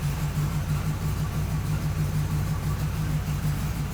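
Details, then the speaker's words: 4x4 hot rod idling at first start after waiting on parts, including a rear driveshaft yoke: an even low rumble with a smooth, regular pulse. It is kind of noisy but not terrible, with no knocks or misses; a healthy idle. "it's you can hear it kind of noisy not terrible [Music] seems all [Music] right seems to be running pretty"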